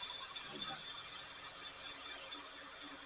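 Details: Sony VO-5800 U-Matic VCR after a belt replacement, fast forwarding: a high, thin squeal over the whir of tape spooling, and the mechanism still sounds strained; the idler tire may also need cleaning.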